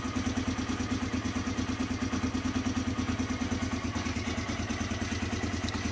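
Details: 2006 Polaris Hawkeye, jump-started after a belt replacement, with a choke that had been stuck: the engine catches at once and settles into a steady, even idle with a regular low pulse, no knocks or misses; normal idle.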